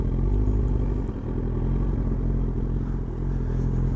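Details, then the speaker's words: Motorcycle at idle after KLEEN/PAIRS removal, clean air mod and shimmed jet needles: loose, uneven metallic clatter from a slack cam chain; tensioner likely never done and needs resetting, rattly from start. "that'll climb up a little bit as well from start because start these are very rattly anyway but especially when the cam chain tension needs doing"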